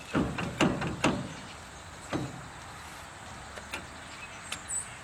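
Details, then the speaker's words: New AVM locking hub just installed on a Chevrolet CUCV front axle during brake and wheel bearing work; sharp metallic clunks then lighter clicks as the dial turns, locking in cleanly and back to free, engaging normally. "So there we are in free mode. You hear it lock in."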